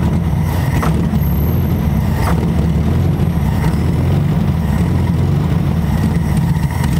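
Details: 1968 Volkswagen Beetle, air-cooled, sat abandoned over 20 years: uneven, stumbling low rumble with irregular surges at first start, running rough only on fuel poured straight into the carburetor and starter fluid.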